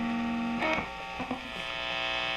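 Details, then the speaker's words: Epiphone Les Paul Special, rhythm (neck) pickup with volume up, through a Fender Hot Rod III Deluxe distortion channel with gain all the way up: a low steady buzz stays under the fading note, a little residual mains hum. "still getting a little bit of hum with the gain all the way up like that"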